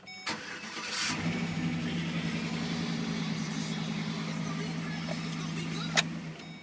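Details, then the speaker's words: Dodge truck started at an auction: the starter catches, then a low, uneven idle with irregular thumps around three per second. The engine runs rough. "it doesn't run too good right"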